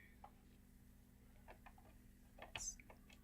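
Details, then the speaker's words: Bose 3-disc CD player after realigning a drive lever that was off its rail: faint irregular light ticks and clicks, no grinding or jamming, changer mechanism working normally. "now what's gonna happen is I'm gonna insert the CD it's gonna pull it in this arm is gonna go this arm is gonna go back and then in and then back and then out it's playing"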